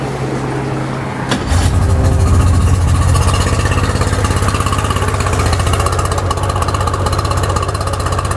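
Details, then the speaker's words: Tohatsu 4-stroke three-cylinder outboard, carbs and fuel pump already rebuilt, idling during cylinder-by-cylinder test: rough lumpy idle with uneven thump about four times a second; only one cylinder firing, top cylinder dead. "this thing is running on one cylinder look at this shut that off got that I only have one cylinder running"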